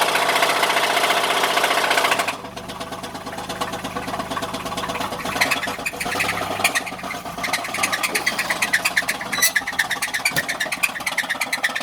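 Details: 1986 Buick LeSabre 3.8 petrol V6 running with a loud, steady metallic knock about three a second; rod knock from a spun rod bearing, with black oil showing metal flakes.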